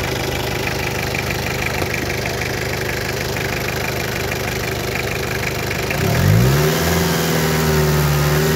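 Uneven diesel clatter at idle, then a sluggish rev that climbs slowly and sags; the engine runs rough with little power.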